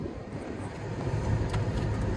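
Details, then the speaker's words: 2005 Pontiac Grand Prix W-body idling smoothly with no whine or squeal after alternator replacement and belt refit; warning light gone, running about 15 minutes without problems. "All right, so I have had the car sitting here running for about 15 minutes, not seeming to have any problems."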